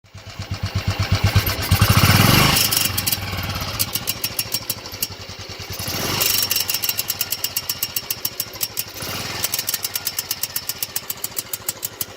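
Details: 2000 Enfield 500cc Indian Bullet, warm engine after about 8-10 minutes of riding, low rpm only: slow single-cylinder thump with a thin tinny rattle on each beat and uneven, skipping firing that sounds like misfires; cause unknown.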